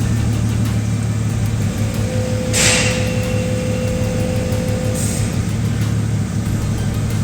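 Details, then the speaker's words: Bentley Continental GT with collapsed front air suspension, new compressor bench-powered by probe: steady hum about three seconds over idling engine as it pumps and lifts the front; operating normally after replacing the faulty compressor. "okay i've got it running i don't know if you can hear the pump working so it's activated"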